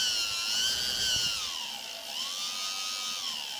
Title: Quadcopter; Noisy Motor - bad bearings?